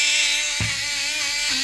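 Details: Repaired portable blender juicer (disconnected motor wire resoldered), running with water in the jar before a green chili test. A button click, then a steady high motor whine at even pitch with no stumbling, and a click as it stops: running fine.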